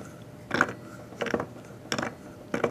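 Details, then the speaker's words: Rear wheel of a homebuilt motorized scooter (antique Briggs 5S engine), spun by hand after cleaning. Four gritty, rough bursts about every 0.65 s; the wheel bearings are shot and grinding and need replacing. "my bearings are pretty much shot and I don't even know how to get them out of there"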